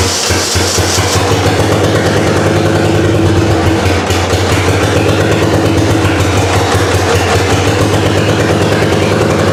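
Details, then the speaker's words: Saturn wagon with LSJ engine swap, wiring harness reworked, first start: cranking with pedal held down to clear a suspected flood; loud, even chugging that never catches; throttle position sensor had been found unplugged. "We're going to hold down the pedal because apparently if it's flooded, if it won't inject any gas when the pedal's held down, it'll help deflood it."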